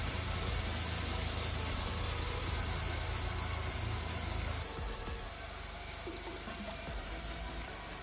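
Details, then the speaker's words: GMC Jimmy started with the radiator cap off after burping the cooling system, with antifreeze coming out: the belt isn't on right or properly tensioned, and a thin, steady high squeal rides over the idle, easing partway. Serpentine belt squeal. "Belt isn't on right, and our antifreeze is starting to come out. If I get this belt on right, it's not on the tension right, so that should help with some of that noise. But yeah, that's the noise that we were getting."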